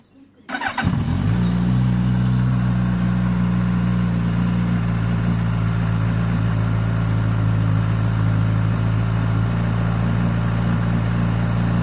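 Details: Suzuki GSX-S1000 GT+ motorcycle four, nearly new, hot start, fires up and settles into a steady idle with a light metallic rattle that began after the first oil change at the 1000 km service.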